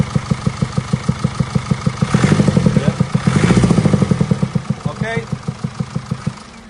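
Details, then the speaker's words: Mercedes E220d W213 convertible OM654 2.0 diesel at idle: sharp even ticking about three per second; persisted after intake manifold replacement; worn rocker arms and scored camshaft knocking, later fixed. "But now we're going to start the engine just so you can hear the noise again. As you can hear, we still got a loud knocking noise."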